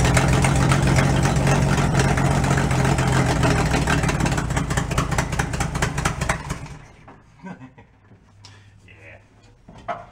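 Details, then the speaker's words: 1965 Ford E100 pickup, long-sitting, run on fuel poured into carburetor with choke stuck, before carb rebuild: loud, raw engine note with a fast steady beat for about six seconds, then dies; cause unclear. "fuel sounds good doesn't it oh that's loud"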